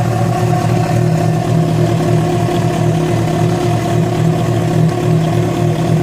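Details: Yamaha FZ6 with a strange engine noise that began after riding about 70 km on two cylinders due to a failed ignition coil connector; loud engine with a rough, uneven pulsing beat at idle and on revs, cause not clear.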